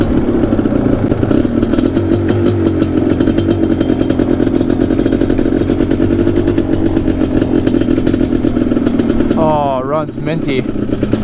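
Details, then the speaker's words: 1988 Suzuki LT500 Quadzilla two-stroke after rebuild and improvements: steady, even burble holding pitch about ten seconds without stumbling or misfire; clean healthy idle, runs much better than before. "Listen to that idle perfectly and everything. Oh, didn't find neutral, but man, that thing's sweet."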